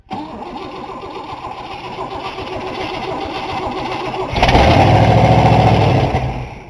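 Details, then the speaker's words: 1960 Cadillac after brake work and a new ignition key: the starter cranks steadily, the engine catches and roars briefly, then dies from fuel starvation and needs more priming to get gas back up; stalling from fuel starvation. "all right we got to prime it a little more there you go till it gets the gas back up there"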